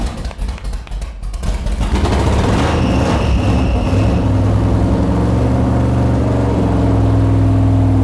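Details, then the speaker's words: RX-7 set up with a small-block Chevy V8 on a brand-new out-of-box carburetor, idle screws and timing not yet set: cranks, catches after a couple of seconds and settles into a deep, steady, even idle with no misses; runs healthy. "All right, she's in there. It sounds good. Brand new out of the box carburetor."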